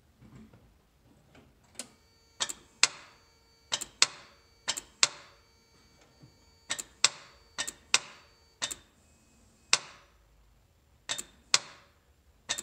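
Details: 1991 Toyota 4Runner 22RE: about a dozen sharp single clicks at uneven intervals with no cranking after any of them; starter clicks but engine won't turn over, no start.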